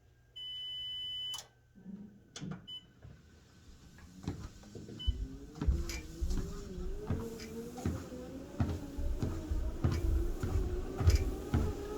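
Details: Sole F85 treadmill at 0 incline: console beep, motor whine rising, creaky knocks twice a second under footfalls; creaking starts right away, stops at incline 3, returns at 0, intermittent at low inclines.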